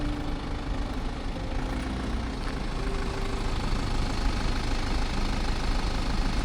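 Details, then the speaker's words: BMW G21 owned one year with over 20,000 km, stationary at idle outdoors with wind turbines nearby: low, steady, quiet, even diesel rumble with no knock or misfire. Normal idle. "Słuchajcie, tak ten samochód chodzi, no po prostu na postoju. Nie mogę mieć długo włączonego silnika, bo jak wiecie jest to zabronione, ale tak to wygląda i tak po prostu ten samochód pracuje na postoju."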